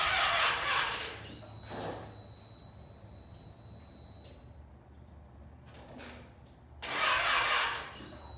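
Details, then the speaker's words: Yamaha FZ6 motorcycle right after fuel pump replacement, battery nearly dead: short bursts of starter cranking with a thin high fuel pump whine between them, engine never catches or fires; cranks but will not start. "Still not working, you guys. The battery is about to die. Oh, the motor is actually turning over."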